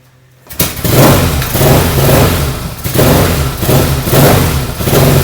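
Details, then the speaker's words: 1970 Yamaha XS650 XS1 kick-start carbureted twin, freshly rebuilt (new pistons, rings, valve job, seals, exhaust): kicks over and catches at once, then a steady, even lumpy cold idle with slow surging as it warms; sounds healthy. "You can hear it. It's idling. Takes a little while to warm up on these old carburetor guys, but you can see sounds really good."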